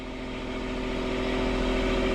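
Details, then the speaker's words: Port sailboat diesel at anchor in forward gear after repairing all four engine mounts, snapped by a submerged log strike; a steady, even drone with no shudder or knocking. It is not vibrating and sits solid on its repaired mounts. "Alright, well the engine's not vibrating, everything's like nice and solid."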